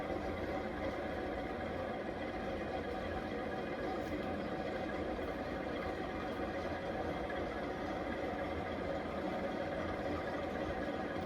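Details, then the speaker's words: 52-inch Fasco Charleston 3rd-generation ceiling fan on high: it runs fast and steady under a constant airy hiss from worn bearings. "not going to keep this fan on high for too very long as like I said, the bearings are very hissy and you can clearly clearly hear that."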